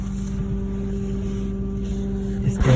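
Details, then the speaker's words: Lexus GS F parked in park after a seven-mile drive: steady, loud, low electrical-sounding buzzing hum from under the rear seats, quieter while driving, cause unknown. "sound you can hear very loud so you can listen to how loud is it so loud clearly the noise that the sound is so annoying that it just drives you crazy"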